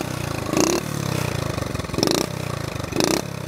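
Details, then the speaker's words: 1970 Honda Trail 70 restarted after years sitting drained, stabilizer added: small single putters steadily with three quick throttle blips rising and falling cleanly, no knock or misfire; runs healthy. "I did put some stable in it just this evening I'm sorry yesterday evening but you can see she's uh that sound brings back memories"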